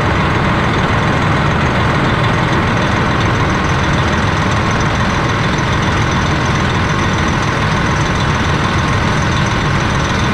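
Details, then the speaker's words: 2007 Freightliner Columbia diesel after air dryer replacement: deep, steady idle with even low rumble and no hiss of escaping air; air dryer relieves pressure and no more air leaks. "okay so i let it run for a little bit it did relieve pressure so everything is working working great on the functionality of it and as you can see there's no more air leaking out of it"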